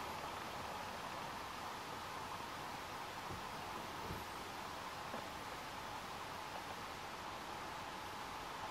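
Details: Six-year-old Logitech BC950 ConferenceCam speaker: steady, even static-like hiss, permanent even with no call running; support suspects the unit has reached end of life.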